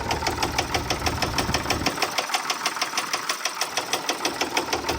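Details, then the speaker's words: Case 1030 tractor idling with a crisp metallic top-end tick about three times a second. Front cylinder not firing and spraying fuel from the exhaust manifold; stuck valve or broken valve spring suspected. "on the very front cylinder on the top end of the motor, it's making that noise. But as you can see, that front cylinder isn't firing and it's spraying fuel out of the exhaust manifold."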